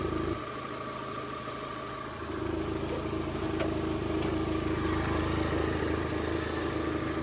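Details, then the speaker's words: Copart Cat S salvage project car, around 80,249 miles, idling; constant low throbbing rumble under engine note, owner attributes it to the air intake rumbling, unconfirmed. Rumbling at idle. "I'm making a rumbling noise Ah that's why because the air intake's rumbling hear it"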